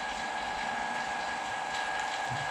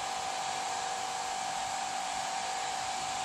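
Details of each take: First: Vacuum pump pulling vacuum for a carbon fibre infusion layup: a smooth, constant hum with a steady mid-pitched whine and no knocks or surging. The pump runs normally. A small leak was later traced to the gum-tape joint at the inlet. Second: Vacuum pump drawing down a carbon infusion setup without a gauge: steady airy hiss over even pump drone; chamber top not seated because a small o-ring popped out of its groove; vacuum leak at chamber o-ring.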